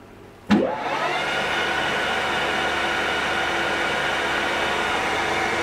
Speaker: you'll hear plenty of bearing noise from this old girl he's done lots of work there's no spring chicken